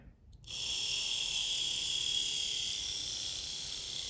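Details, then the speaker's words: Small electric motor with prop shaft for 1960s Veron Caribbean Coaster model boat, after three-in-one oil cured squeak: smooth steady high-pitched hum, no squeak or catch; running freely. "lovely listen to that that's more in keeping for a vintage model boat isn't it"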